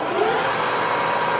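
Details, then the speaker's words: Harrison M300 lathe, 2.2 kW spindle motor on an inverter, oil-splash-bath headstock with clear oil and good gears: spindle runs both directions with a smooth, steady mid-pitch hum and no knocks, rattles or grinding. "Spindle runs in both directions. You can hear just how nice and smooth that uh headstock runs. It's a simple oil splash bath inside, but it's perfect."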